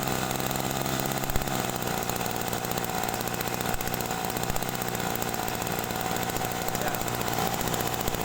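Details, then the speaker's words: Small carbureted sprayer engine idling unevenly, popping from the muffler: rich mixture after the carburetor screw is turned counterclockwise during carburetor adjustment. "ya suaranya agak ee meletup-meletup di bagian kalpot ini sebetulnya campuran yang EE agak basah ya"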